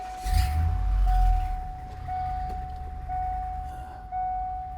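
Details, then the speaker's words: Truck after repairing a P0306 cylinder 6 misfire, codes cleared: engine catches and settles to an even steady run with no stumble or chug, a chime sounding; misfire fixed. "not chugging. It might be fixed. This is fixed. I can tell already that this is fixed."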